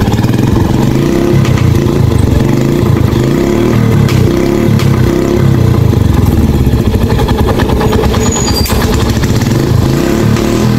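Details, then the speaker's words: Yamaha YTX motorcycle whose carburettor had taken in water from a flood and washing, after draining the carburettor via its drain valve: it revs strongly and evenly with a smooth beat and no sputter, and pull is restored. "Ayan mga meron na siyang hatak so Ayan mga idol Ayos na"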